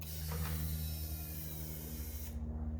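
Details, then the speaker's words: 6L LS V8 in Mini Mog build with temporary wiring, fed from a jerry can, before first start at key-on: steady low electric hum for about two seconds, then cuts out; normal fuel pump prime. "And you'll hear the fuel pump prime for a couple of seconds and then turn off."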